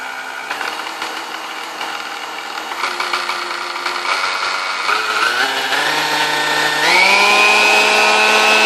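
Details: Vintage Kenmore stand mixer, believed Westinghouse-made, first power-up before service: a high whine and screech that steps up in pitch with each speed change, smoother at lower speeds, sticky, brushes smelled. Cause was bone-dry motor bushings, cured by oiling the wicks.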